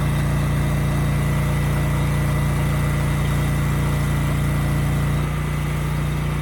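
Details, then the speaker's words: Used generator HU40500G after new generator head installed, under 3,000 W load: steady, even drone, no wavering; engine and power output good. "okay good the engine sounds good and the power output is also good it was running a bit slow so I did turn up the governor screw just a little bit"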